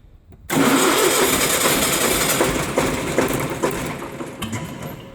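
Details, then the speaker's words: Ford 4-cylinder diesel in ONAN 30kW ex-hospital backup generator, first start after days idle, fuel system bled of air at injector pump: catches and roars up, then briefly stumbles and hiccups, sounds like lugging; owner unsure, likely air in fuel. "oops hiccuped a little bit see sounds like it's lugging but i'm not 100 sure it is"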